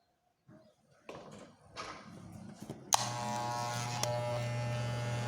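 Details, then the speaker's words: Wahl Legend clipper after adjustment and tightening the housing screws that caused the noise: handling knocks, then switched on to a steady even buzz with no rattle. "e já acabou o barulho tá fazendo barulho porque eu não apertei aqui a honda criatividade aqui né apertar os parafuso da carcaça"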